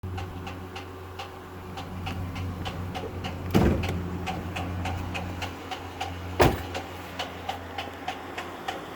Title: Engine knock